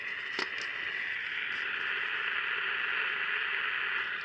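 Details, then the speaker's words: Candle battery pocket radio sent in for repair. Constant crackly hiss with occasional pops and no stations received. The amplifier works; the repairer suspects the oscillator is not oscillating properly or at all. Not confirmed. "So usually you know, we know the amplifier's working and I can hear the the hiss, right? Usually when you hear that hiss means that uh a lot of times, anyway, that the oscillator is not oscillating the way it should be or at all."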